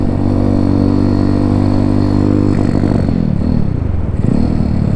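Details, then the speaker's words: Honda C50 fitted with a Zongshen Z190 engine, riding on road; small single revs unevenly and stutters at part throttle, lumpy pops instead of a clean pull, fine at full throttle; owner suspects it needs a carb clean. "Seems to be spluttering part throttle, which is telling me it might want a quick carb clean."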